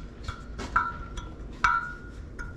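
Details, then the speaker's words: Jasion EB7 2.0 e-bike rear wheel, spokes tightened clockwise with a spoke wrench: plucked pings at about the same mid pitch from spoke to spoke, even tension. "there's no Rhyme or Reason how do you do this but you want to get the same pitch on here"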